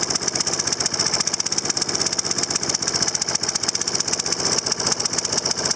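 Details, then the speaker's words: Troy-Bilt 21" mower, Briggs & Stratton 675 series auto-choke engine, first start after carburettor and tank cleaning: fast, uneven, stumbling firing; new spark plug installed ungapped at about 0.020 instead of 0.030, causing rough running. "is they put in that spark plug right out of the package, and they didn't gap it to a 030. It was barely on 0.20. So, that made a big difference on how it runs."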